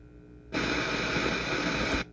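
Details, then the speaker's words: Lexicon MPX 1 multi-effect unit: a burst of steady hiss for about 1.5 s over a faint hum, static on the right input channel at pin 24 (negative in right); left channel pin 32 hums. "pin 24 has a static so 32 is humming and 24 is static"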